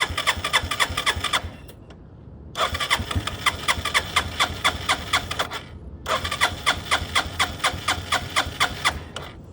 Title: Hard start electric start of the bike